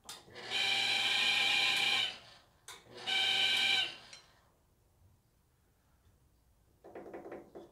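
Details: 2012 Traeger Texas XL pellet cooker: shrill squeal over motor whir in one-to-two-second bursts; the small fan was ruled out, main intake fan bearing suspected.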